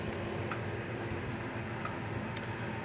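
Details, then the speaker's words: Gallagher M300 electric fence charger on the bench, just plugged in: sharp, quiet clicks at a steady pulse of about one a second over room hum, with the lights flashing, so the board is pulsing normally. "And it is clicking. You kind of hear it, maybe. You see the lights flashing. So the board's working."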